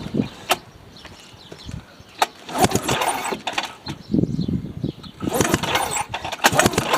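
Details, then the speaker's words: Ski-Doo Formula Plus 583 two-stroke snowmobile, sat over 5 years, plugs out and looking rich and wet: uneven recoil pulls with faint snapping zaps and no firing; spark present while cranking. "You can hear it zapping at us. So that's a good sign."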